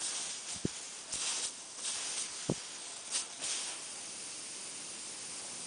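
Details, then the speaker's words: 2005 Bryant heat pump that stopped cooling, with a big oil stain in the drain pan: thin, steady high hiss of refrigerant escaping from a rubbed-through pinhole in the 3/8 pipe where a small tube chafed behind it, with a few handling bumps. "and I could hear which maybe you can hear it too the hissing so I was feeling around and uh I found it"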